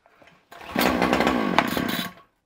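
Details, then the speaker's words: Titan strimmer two-stroke after swapping its tiny stock carburetor for a 9B carburetor; before, it would only run on choke and died when revved. Primed, it fires straight away and buzzes high briefly, starting cleanly. "so it's been primed now this machine would only run on choke beforehand"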